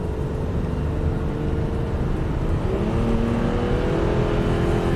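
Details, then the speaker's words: Strong steady pull with clean rising tone, no misses or hesitation, from a 2008 Subaru Outback H6 in manual mode accelerating; sounds healthy. "Yeah, it sounds like a race car."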